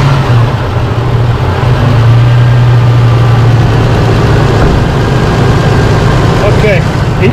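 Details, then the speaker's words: Holden Rodeo V6 petrol idling after replacing dirty spark plugs, including a dead one on misfiring cylinder 6: steady, even low hum with no shaking or missed beats; normal idle. "shaking at all it's looking good it looks like he got some power there"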